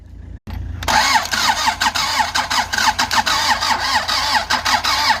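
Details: Andoria 4CT90 engine that won't start: steady rhythmic cranking with even compression pulses, turning over but never firing; only a little pressure was noted.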